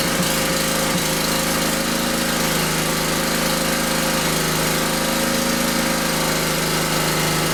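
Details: Generator brought in as a non-runner, started with choke and fuel on, then choke taken off: a steady, constant-pitch drone with no misses, knocks or hunting; running evenly. It had been flooded from repeated pulling.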